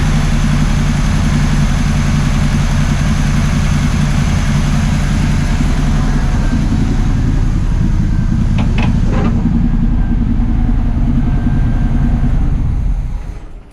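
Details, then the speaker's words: 1979 Camaro Z28 Quadrajet-carbureted V8 after tune-up, warmed, running on all 8, vacuum leaks fixed: steady, even lope that sits a touch fast and never settles lower. Idle still set slightly high. "Fix a couple more vacuum leaks, and still out of them just a little bit too high, but we got the old quadribog action."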